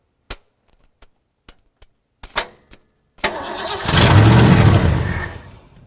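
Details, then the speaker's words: 1963 Ford Galaxie with a 289 V8, first start after sitting, fed fuel by hand down the carburetor; a few cranking clicks, then it catches and runs about two seconds before fading; the tires move, so the transmission engages. "did the tires move hmm another one I'll give it more juice"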